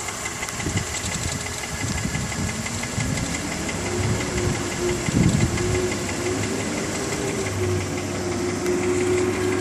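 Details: BMW E46 325Ci with M54 engine, warm, ticking only at idle at the front of the engine: light, fast tick roughly three per second over smooth idle; cause unconfirmed.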